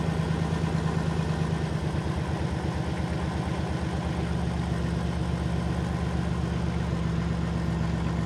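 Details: 2007 Dodge Caravan 3.3 L V6 with codes P0202 and P0302, heavy misfire and power loss despite owner-replaced parts: uneven, stumbling idle with irregular pulses; cylinder 2 injector not energized, PCM suspected faulty.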